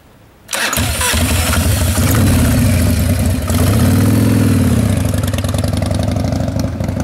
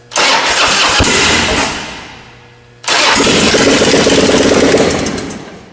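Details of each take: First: 1995 Harley-Davidson Wide Glide Evo 80 cubic inch after reassembly with Total Seal gapless piston rings; cranks, catches, settles into steady loping V-twin idle, no knocks or ticks, better throttle response than before; normal idle. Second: 1995 Harley-Davidson Wide Glide Evo 80 cubic inch V-twin after Total Seal gapless piston ring install, no exhaust fitted: very loud raw bark, crackles on blips, pops and flames on decel; better throttle response than before.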